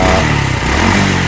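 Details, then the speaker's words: Honda Revo injection after the fuel pump was replaced with an NPP part; earlier, pressure collapsed when revved. The engine picks up revs crisply with an even note and no delay or hesitation at all on the throttle. Healthy revving. "Nah, untuk gasnya itu memang tidak ada telat. tidak ada telat sepekan detik itu enggak ada telat sama sekali."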